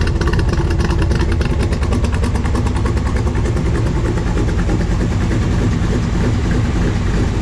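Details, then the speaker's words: 1965 Chevrolet Corvette L79 327/350 V8, engine rebuilt 2018, 77,000 miles, warming up in neutral through side pipes: a deep, loping burble with even, strong firing pulses and no knocking or ticking. A normal idle. "It sounds just as it should."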